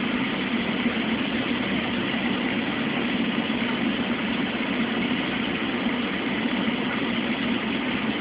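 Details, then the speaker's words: Mueller Special Brazilian washer, duvet on quick cycle, 60°C wash, first rinse after no spin between rinses, very high water level: steady even churning and water swish, no knocks, scrapes or rattles; normal rinse agitation. "Now that's a very high water level. And that's why the rinse is always perfect."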